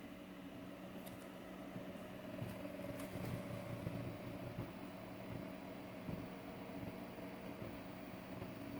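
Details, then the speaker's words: DMM DYN2 servo (57N-DHT-A6TD1 3Nm motor, 2000 pulses per revolution) on CNC axis, ramping from about 120 inches per minute; low steady hum with faint tones climbing gently, no clatter or roughness; quiet, smooth, little table movement. "now notice how quiet this is that's that's the first thing that it's going to jump out at you"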